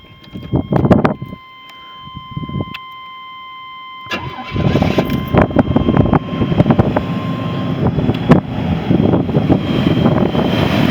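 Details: 1985 Buick Grand National: a warning chime, then a quick crank and catch, settling into a steady, even idle with no knocks, misses or hunting. The vacuum reading is good; a healthy cold start.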